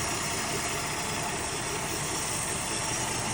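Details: Plymouth Duster, Mopar Slant 6 225, just started cold on the key: steady, even idle with a hissy background, no misses or knocks; normal idle.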